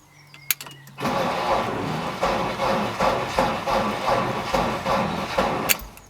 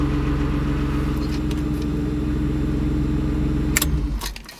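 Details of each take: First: BMW E36 that starts on a jump start: a slow, labouring crank under three turns a second, no catch. Owner suspects the battery isn't giving the starter enough power; battery test planned. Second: BMW E36 idles smooth and even with a steady low rumble, no misses, then is switched off; it had a no-start that jump-starting overcame, fixed by replacing the battery; normal idle.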